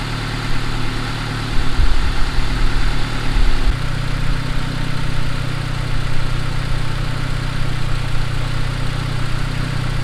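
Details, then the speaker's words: Turbo Honda Accord, idle adjusted down from about 1200 to around 1000 rpm: even, settled idle with a calm, choppy exhaust note, no misses or knocks; much tamer exhaust, healthy idle. "I'm pretty happy with that idle right there we're sitting right around a thousand it's a lot tamer the exhaust note you know the exhaust is not nearly as rowdy it sounds nice and chopping out instead of like wool you know it sounds a lot better"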